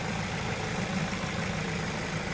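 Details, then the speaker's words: Ford Focus with a head gasket leak, a few days after Steel Seal, warm after a four-mile run: smooth, even low idle hum with no knock, miss or hiss. Cooling pressure much reduced from before, temperature gauge just below halfway; normal idle. "There's hardly any pressure building up in the cooling system now, and there was a lot before."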